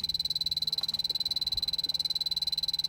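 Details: 2005 Toyota Prius that came in with 16 PSI vapor-only refrigerant, final AC evaporator leak test after 20 minutes soaking, blower quickly pulsed toward dash vent: detector's steady high-pitched ticking about 160 a minute never speeds up; no refrigerant leak from dash.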